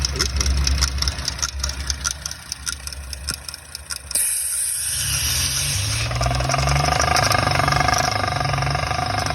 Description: This 2021 Audi S4 has a rattle noise and cilynder 4 misfire and we might to tear it down to find out.